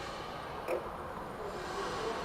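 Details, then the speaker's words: Doosan B20T-7 three-wheel electric forklift: in a quiet hum, one sharp click as the electronic spring-applied, magnetically released parking brake releases on accelerator input; normal operation. "so i'm gonna i'm gonna just give it a some some uh accelerator input and hopefully you'll be able to hear the parking brakes release you'll hear a clicking noise"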